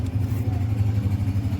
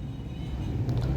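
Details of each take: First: 2007 Toyota Vitz CVT with starting trouble, before repair: low, lumpy engine note with uneven pulses and dips in rhythm, stumbling rather than running smoothly; engine misfiring. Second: Toyota Vitz 2007 CVT after repair of starting trouble and engine misfiring: steady low even rumble while driving, no stumbles or skips, engine pulls smoothly and is no longer misfiring; normal running.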